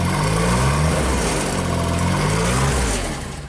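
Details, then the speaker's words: JLG Baby Scissor lift small engine, cold day, new crankshaft position sensor; once a function is engaged from ground controls the engine note swings up and down instead of holding. "So I started up, took it for a test drive, then the RPM started going up and down, up and down. What the heck is going on with this thing?"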